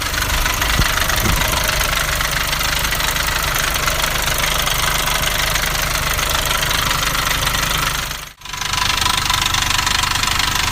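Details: Nissan Navara D40 2.5 dCi diesel at idle: busy, hissy rattle about three to four times per second over the beat, sounding like a dual-mass flywheel rattle but caused by a cracked intake manifold.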